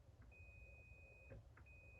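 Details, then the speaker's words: Continuity test on a machine's magnetic starter control circuit, meter from hot incoming side to the coil with start button pressed: steady high beep about a second, breaks, returns, showing continuity as it should; start circuit healthy. "And there you can hear it beeping. That would kick in the coil. Once the coil is running, there's continuity already, as there should be."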